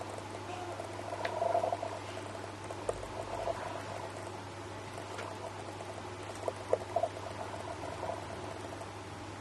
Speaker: Well, as you can hear, when the autofocus tries to capture my face, it produces the motorized sound, which we, of course, cannot use this kind of footage because this noise or the sounds ruin our footage.